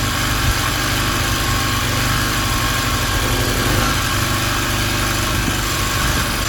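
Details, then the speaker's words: King Canada Powerforce 1500W generator, warmed up, off choke, no load: steady, low, slow engine drone without hunting, only 48 volts output; underspeed, governor set too low, then turned up via adjustment screw. "All right, she's running very slow. Currently, we're getting 48 volts out of it."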